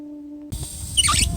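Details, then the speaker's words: Outdoor water spigot with bibb vacuum breaker attached: steady mid-pitched hum heard throughout the house when water is turned on, then rushing water; faulty vacuum breaker, fixed by replacing it. "every time i cut this water on it makes a hum sound it sounds really bad in the house"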